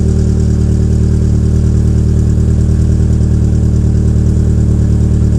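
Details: 2004 Peugeot 807 SR 2.0 petrol, EW10J4 RFN engine, rear silencer removed, cold: idles unevenly with a loping beat and deep exhaust drone; owner attributes the rough cold idle to tight valve lifters typical of PSA EW engines.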